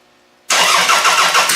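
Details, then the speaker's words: Demolition derby car fitted with a GM distributor, battery booster attached, fuel pressure up, timing still well off: harsh cranking and uneven firing that won't settle; the loose distributor turns as the engine starts. "Okay, I need to tighten this thing down because it's turning as soon as that starts to go."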